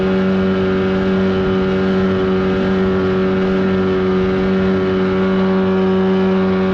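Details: 1979 Evinrude 35hp outboard on the water after adjustments, with the air box left off for the run. A steady high-pitched buzz holds one even note with no misses or surging; running cleanly at speed.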